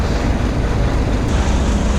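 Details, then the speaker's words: Truck idling, left running to recharge flat batteries, charging at 28 volts: steady, even low diesel rumble with no knocks or misses; normal smooth idle. "So I just want to leave it running for as long as I can now, really, because we need those batteries to charge up."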